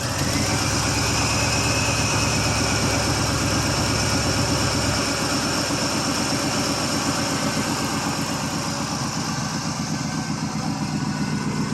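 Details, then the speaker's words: 1979 Oldsmobile Ninety-Eight Regency 403 V8 cold start after long sitting: lumpy, uneven idle with irregular exhaust pulses, running rough. "yes she's kind of a rugged old car it's not horrible but it's definitely not bristin by any stretch of [Music] imagination"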